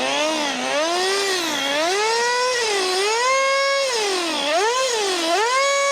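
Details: HPI Racing MT2 nitro RC truck, secondhand, unused for a while, primed: high, buzzy note that surges and sags instead of holding steady; runs rough, owner suspects fuel system a bit clogged from sitting.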